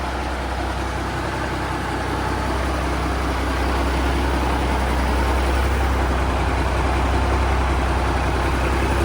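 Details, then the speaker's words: Peterbilt 359 diesel: deep, steady idle with an even beat and no squeaks or belt chirps, running quiet and healthy where before it squeaked. "So before when this thing was running, it had lots of little squeaky noises and everything else from like the old belts and the fan hub was noisy. Everything was noisy. But now, if you listen to it, she's just nice and quiet."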